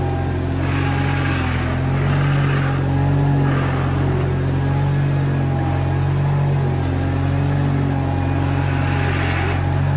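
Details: Case 1816C skid steer, sat in a barn 10+ years, clutch lever engaged: engine pulls steadily with a few rev swells as it moves off, no knocks or grinding; normal running under load.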